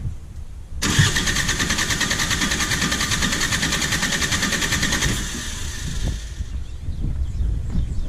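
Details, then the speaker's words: Perkins 4-cylinder diesel in a JCB 208S (1CX) backhoe cranking during a compression test, gauge reading just over 400 on one cylinder; an even, steady beat of about three pulses a second with no skips, so compression is good. "so yeah it's reading right about 400 a little bit over 400 and that's about what i expected so that should be good that cylinder is uh building up enough pressure"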